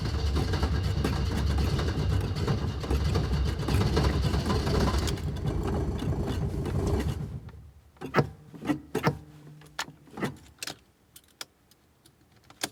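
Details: Alfa Romeo cold start on a cold day: long steady starter churn for several seconds, then scattered clunks and ticks, hard start without firing cleanly.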